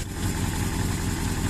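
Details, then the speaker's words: 1982 Suzuki GS650GT, first start since delivery, at dusk: low lumpy idle with uneven stumbling firing pulses that never settle; owner suspects fuel is not getting through properly; rough idle. "here you have it running running rough but running nonetheless"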